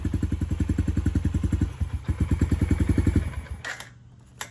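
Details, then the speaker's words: 2019 Yamaha TTR 50, cold-natured, only runs on choke until warm: after turning choke off, single-cylinder idle thumps unevenly about three to four per second, stumbles and stalls; running lean. "But turn the choke off, and you'll see it'll slowly start to die."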